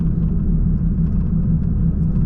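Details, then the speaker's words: VW MKV (Mk5) just downgraded back to the OEM downpipe, cruising: a steady low humming drone under the road rumble at constant speed; the source is unclear, possibly tyres. "you hear it yeah the humming noise so far so good"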